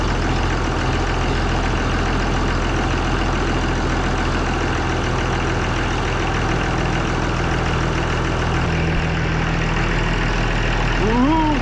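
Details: Oliver 1800C tractor diesel, cold, just after a repaired Stanadyne (Roosa-Master) injection pump was reinstalled and the fuel system bled. A steady, even idle with a low, regular beat and no misses or knocks, running clean while purging air.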